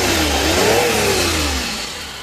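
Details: Suzuki DA64V K6A non-turbo engine revs smoothly and settles back, no knock, whine or grinding, after water pump, oil sender, alternator belt and air filter replacement and radiator cleaning for overheating.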